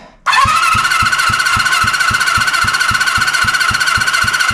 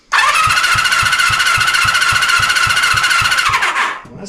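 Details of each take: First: 1974 Honda CB350F four-cylinder under rebuild, compression test while cranking: even starter whine with about four evenly spaced compression pulses a second; this cylinder reads about 100, slow to build, healthy. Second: 1974 Honda CB350F four-cylinder under rebuild, compression test on cylinder three while cranking: steady starter whir with evenly spaced but feeble pulses near four a second; reads only 60, low compression.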